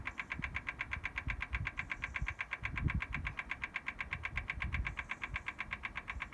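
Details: BMW M4 Competition Pack, cold, ignition off: sharp even ticks about two to three per second, intermittent, starting as soon as a door or boot is opened; source not identified.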